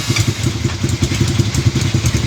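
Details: Motorcycle engine at idle: a rapid, uneven clatter rides over the low exhaust thump; something is off inside, cause not pinned down. Unknown engine noise.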